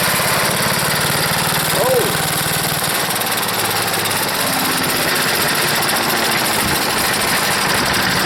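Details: Wood chipper's small single-cylinder engine, pull-started on full choke at full throttle, no air filter: busy, ragged sputtering drone without an even beat; owner suspects a bad float and dirty carburetor. Rough running.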